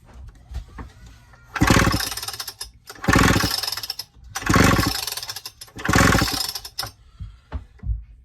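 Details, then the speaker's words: Homelite Super XL-925 chainsaw, experimental build, squish 0.022 in: four cord pulls each give a rough rattling burst with a harsh internal knock; piston suspected of hitting connecting rod, crankshaft or cylinder top, owner guesses piston bottom too big. "So it sounds like the piston is hitting something. It sounds like it's hitting the connecting rod or the crankshaft or the top of the cylinder."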